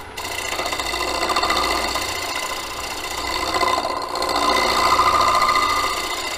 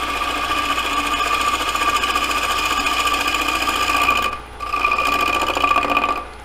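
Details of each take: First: Turning a square bowl on a wood lathe: rough rasping scrape with faint ringing hum surging as the tool bites; the wood is vibrating during the cut, which can lead to chatter marks. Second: Lathe turning a square bowl with a light cut. The corners flying past the tool make a fast, even ticking "dot" noise over the hum, from cutting wood then air. This intermittent cut is normal.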